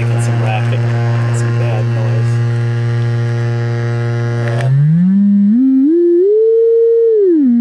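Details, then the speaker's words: 1964 Leslie speaker from a Conn organ; low test tone near 125 Hz sounds harsh and buzzy, then a clean sliding tone; popping when moving the cone, voice coil rub or debris from mice suspected. "noticed is manually move the speaker get some popping and snapping from down the voice coil area so I don't let the voice coil is rubbing"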